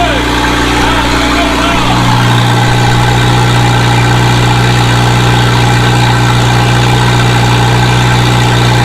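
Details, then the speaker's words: Volvo 745 turbo at first startup after exhaust manifold and turbo install, cold: steady even idle with strong low hum, no knocks or misses, sitting a little high while cold, smoking expected after rebuild; normal. "oh man she's stinky um yeah she's running guys sounds good"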